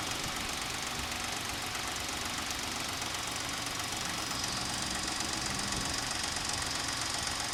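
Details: Suzuki Escudo H25A engine at steady idle: sharp, fairly regular ticking knock about four per second, mechanical knock inside the engine; source unknown, mechanics unsure and suggest disassembly.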